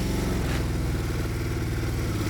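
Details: Project quad just started after CDI unit fiddling; carb is out of adjustment so it roars on startup. Runs fast and rough, then revs drop and settle unevenly as it calms down; racing idle.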